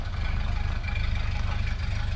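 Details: 1930 Ford Model A Phaeton four-cylinder with a 3-speed manual, spark advance lever all the way up: low, even idle putter with a steady beat, no misses or knocking; normal idle.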